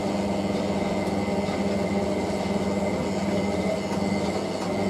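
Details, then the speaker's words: Hotpoint 9530W Electronic 1000 Plus washing machine on 60°C Colourfast Cotton with a bed throw: a constant heavy rumble and steady drone through the spin, louder and rougher than normal. "That just sounds so sinister. I hate that sound."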